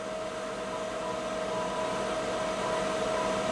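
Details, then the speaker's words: Hallicrafters S53A receiver with signal generator input around 50 MHz on the band: thin faint steady whistle under loud even hiss, only harmonics heard, signal very weak; one band dead, band switch cleaned. "It's there, what we hear here is the harmonics. It's there, I can hear it, but it's"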